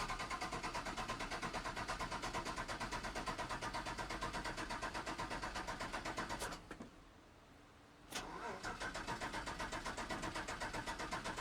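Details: 5.3 V8-swapped OBS truck with a new fuel sending unit, pump triggered by the ECM via a relay; steady cranking at nearly three beats a second that never fires, suspected lack of pump power, later hardwiring the power and ground is believed to have fixed it.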